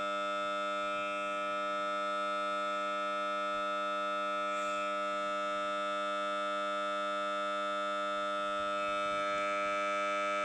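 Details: Samsung Note 9 phone speaker randomly emits a steady, harsh buzzing drone with a siren-like edge while playing audio; only a reboot stops it.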